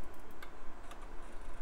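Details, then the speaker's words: Gateway E-3400 desktop LS-120 SuperDisk drive copying files, mic close: a few sharp light irregular ticks over quiet hum, sounding more like a hard drive than a floppy; normal working head seeks. "That sounds nothing like a floppy drive. I'm gonna put the microphone up close. It sounds more like a hard drive."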